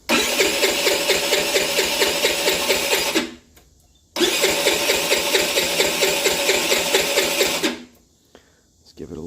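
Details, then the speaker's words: 50cc Chinese scooter, bought run-down, after fuel line reconnected: two long runs of steady starter cranking with no firing; crank no start, no spark at the plug, still none after testing two coils. "let's check Spark okay let's uh let's see if that cylinder's sparking or not that spark H has no spark so we had a no spark scenario"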